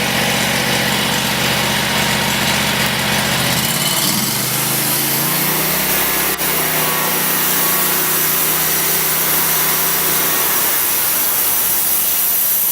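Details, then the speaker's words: Twin-cylinder engine on a homemade band saw sawmill, throttle worked by a new 12 V linear actuator remote control: drops from higher speed to a smooth, steady low idle with even firing; engine healthy, blade not moving. "So let's go ahead and start it up and see if it works. And there we're in idle."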